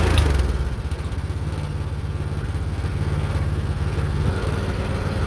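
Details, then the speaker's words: Meec SN210 snowblower small single-cylinder engine after cleaning and reassembly, runs with uneven hunting beat at low speed, never picking up; throttle linkage won't stay open, owner suspects a part was reinstalled in the wrong direction. "I don't know why, but the throttle linkage does not stay open. Probably I put something back in the wrong direction or something."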